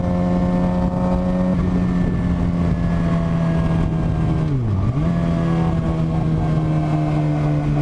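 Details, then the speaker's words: 2007 Suzuki GSX-R 750 inline-four droning unevenly with revs dipping and a thin whine, feels like three cylinders; owner suspects stator or regulator/rectifier, battery fell 13 to 9 volts, original 2007 battery; misfire with whine. "it even feels like we're running on like three cylinders and there's this weird whining noise that I've been hearing something's up clearly I mean clearly"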